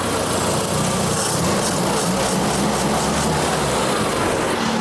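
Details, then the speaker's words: Triumph four-cylinder, fully warm with the thermostat open several minutes and idle cranked up slightly: even, steady idle with no misses or knocks; normal warm idle. Owner suspects a whine comes from the distributor or tachometer. "thermostat's been open now for several minutes definitely up to normal operating temperature"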